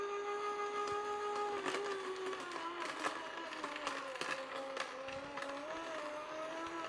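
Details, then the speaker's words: Cheap budget slow juicer fed carrots one at a time: motor whine sags in pitch with crunching throughout, auger slowing under load; blades later stopped, something possibly jammed in the gear. "Notice already we know how this handles stress, it slows down."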